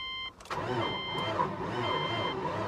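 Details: Salvage-auction vehicle cranked with a charged booster pack: slow, heavy cranking with a dragging rhythm about twice a second that never catches; owner suspects the engine is seized, not confirmed.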